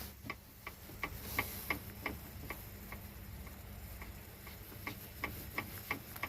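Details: Moskvich 2141 with the UZAM 1.7 engine at idle: a sharp tapping about three times a second, piston knock suspected in the fourth cylinder; the owner is unsure whether it can keep running or needs an overhaul.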